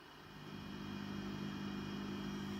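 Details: Fender Super Sonic 22 tube amp, reverb turned up: steady low hum and hiss with a faint tonal buzz from a noisy microphonic 12AX7 in the V4 position, later replaced with a Telefunken ECC81 after reverb tank work.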